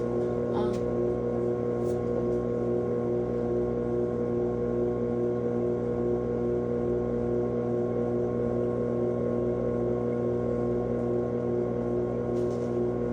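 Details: GE washer GTW500ASNOWS with shift actuator, ramping up from drain into spin: steady, even motor and drum hum with no knocking, scraping or grinding, a normal spin.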